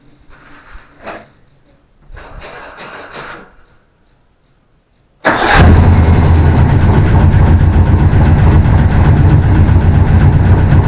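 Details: Willys DJ5 first start after new 4-into-1 exhaust with collector and over-axle pipes, in an enclosure: catches at once and settles into a steady, even, deep idle with no misses or ticks.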